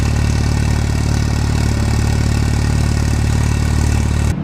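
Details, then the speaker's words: Engine first start after refitting the old wiring harness: fires and holds steady even idle with regular firing pulses about four seconds, then cuts out as it runs out of fuel. "makes the right noises yes look at that the old wiring harness it fires up in a run"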